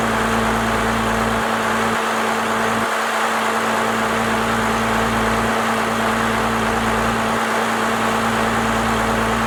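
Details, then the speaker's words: First-gen Cummins diesel, 4-inch straight pipe, timing advanced and idle speed raised: deep, steady idle with an even low rumble, no misses or stumbles; idling smoothly at the newly adjusted speed. "She sounds a lot better to me. Definitely got that idle adjusted to where I think it needs to be."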